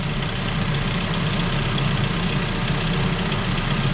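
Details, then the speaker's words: 2009 Ford Focus 1.8 Duratec 125 hp flexifuel petrol, 179,000 km, ex-Sweden, just started: smooth, even low hum, very quiet, with no belt squeal or chirp; healthy normal idle. "Mamy go chodzącego. Wszystko chodzi, jak widać, bardzo cicho, żadnych pasków nie słychać. Elegancko."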